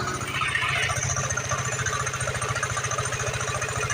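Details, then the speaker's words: Vespa LX150 i.e. injection scooter idling with a rough, fast "kletek" clattering rattle from the CVT belt-drive side over the engine beat; rough CVT noise that the owner says can be made smooth again without replacing parts. "ya suaranya kasar sekali ya ini di bagian cvd teman-teman suaranya kletek kletek keteketek sekali ini motornya Vespa injeksi lx150 ei"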